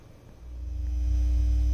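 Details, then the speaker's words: Technics SL-Q2 turntable with plastic plinth, volume about 1/3: steady low mains ground hum swells and holds with no music, high on VU meter; goes quiet when ground wire touched to metal. "that's with the volume turned up about 1/3. And you can see by the view meter, it's the feedback grounding noise is pretty high."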